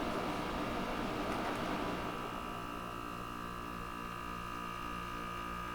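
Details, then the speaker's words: GE 5000 BTU window air conditioner with Quingan compressor; steady even hum with smooth, unchanging pitch, no rattles or knocks; owner praises the compressor as working properly; normal compressor running. "Man, this thing sounds great. I love hearing this thing just work properly. Man, listen to that compressor."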